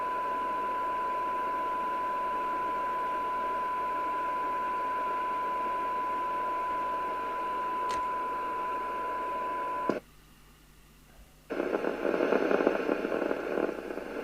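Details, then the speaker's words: Midland 4001 CB27/81 UK FM CB radio under service: steady hiss under a clean test tone, a brief drop-out, then louder hiss; receiver generating internal noise, suspected capacitors; three receiver capacitors were later replaced. "I still think it's generating internal noise. I think what we're going to do, I'll look at the circuit diagram, and I think we're going to change some of the capacitors in the receiver."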